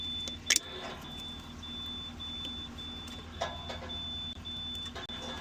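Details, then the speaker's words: International 4400 DT466 no-start, engine off at key-on: thin high electric whine and clicks as the ECM cycles the turbo actuator when unplugged, so the ECM has power; IDM suspected not working, a 40 A fuse found melted. "Okay, the ECM is running. You can hear when you unplug that. The ECM is running the turbo actuator. So the ECM's working."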